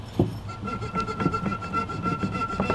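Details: Mercedes C36 AMG M104 water pump, removed, pulley spun by hand: gritty, uneven rumble with a faint ringing tone; water pump bearing worn out.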